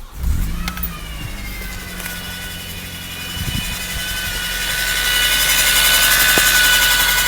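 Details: Scirocco Mk2: right after the engine catches, a thin high whine holds steady above the engine note and grows louder as revs build.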